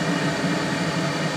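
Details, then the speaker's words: Hydrotherm boiler burner lit with flame guard and all covers off: steady roaring rush with hollow, breathy edge; excess combustion air getting in through the open covers makes it louder. "obviously cuz all the covers are off too much air is getting in"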